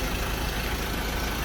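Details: Ford Ranger pickup idling just after a 70mai jump-starter boost, with the battery discharged again: steady, even low rumble with no knocks or misses; engine idles smoothly and sounds healthy.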